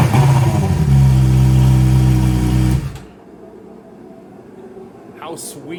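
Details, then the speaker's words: Fuel-injected Suzuki GSXR 600, stolen and recovered, hot-wired to run with no exhaust muffler, barely run yet. Raw, loud, barking exhaust with quick even firing pulses, then the engine cuts off. Loud because the muffler is missing; throttle response is also lacking. "is that runs really well from the way it sounds obviously i'm missing an exhaust a muffler uh and you can tell the throttle response isn't quite there"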